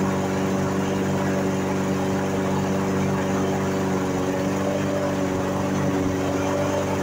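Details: Briggs & Stratton single-cylinder mower engine that sat unused and wouldn't start, after carburetor cleaning and reassembly: smooth, even drone at constant speed, no surging or misses; running cleanly.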